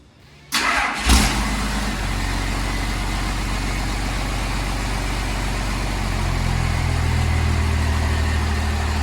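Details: 12V Cummins diesel swapped into a 1972 Ford crew cab, first start with new exhaust: starter cranks briefly, diesel catches and settles into a steady, even idle clatter; healthy.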